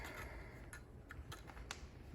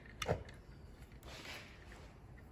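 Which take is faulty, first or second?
first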